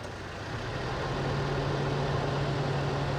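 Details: 2004 Toyota Tacoma 4-cylinder, warm engine, after IAC valve replacement and throttle stop screw adjustment: smooth, even idle with a steady low drone and no hunting or surging; idle speed correctly set.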